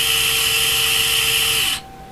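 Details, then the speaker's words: Axial SCX24 with V2 transmitter and ESC on a bench test at full throttle: a smooth, quiet electric whine that winds down cleanly, with much less ESC whine than the V1 ESC; motor and speed control sound normal. "no ESC wine much quieter so I'm very impressed with that with the V2 very impressed and for me the trick pull is exactly the same but listen to that you see very quiet that's full"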